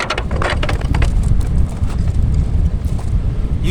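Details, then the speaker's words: Rocket stove firing a 96-year-old cast-iron domestic boiler heating a 200-litre drum mushroom steriliser, just lit with the rings back on: deep, steady rumbling roar with fluttering gusts as it draws hard and begins warming; normal draft. "It's very rockety. And even now, after just firing the thing up, it's starting to warm up."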